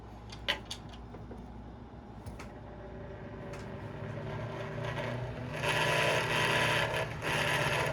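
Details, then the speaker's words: Westinghouse A010-1 desk fan, roadside find, cleaned and fitted with a replacement power cord: a few clicks on startup, then a rising whir with an uneven rattle about three times a second; vibration and rough running, cause unresolved. "There we go. That doesn't sound healthy. Well, it's working, which is just doesn't sound good."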